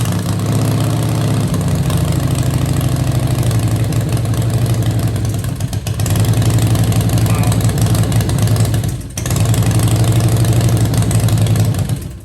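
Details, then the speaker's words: V-twin first start after Fuel Moto 110 kit (10.5:1 pistons, Level B heads, Woods 777 cams, 55mm throttle body), oil primed, lifters pumped; lumpy surging rough idle that sounded awful, intake leak around manifold initially suspected, cause unconfirmed. "As you guys heard, that sounded awful. It should not sound like that. There was definitely something wrong."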